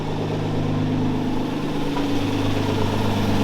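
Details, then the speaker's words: Nissan 350Z drift project car idling in shop: even steady idle with deep low burble, no knocks or stumbles; still sounds good and runs, but turbos need rebuilding. "still sounds good still runs but turbos definitely need to be rebuilt"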